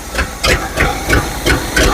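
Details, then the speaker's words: 1970 GMC 2500 3/4-ton old V8 revived, choke opening, smoke from the cylinder given oil: lopes at idle with a loud hissing puff about three times a second; owner suspects exhaust or vacuum leaks, source unclear. "or maybe a few vacuum leaks like that one. But she runs."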